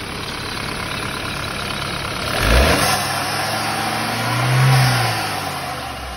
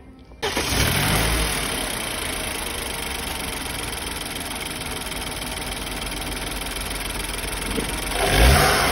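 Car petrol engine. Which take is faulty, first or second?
first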